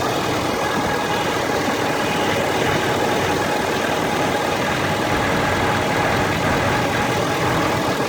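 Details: Warm Ford F350 diesel at idle: a thin, constant whine rides over the rumble from the top of the engine, on the driver's side or the center black box area. A dealer blamed the transmission; several dealers found nothing. Source unconfirmed.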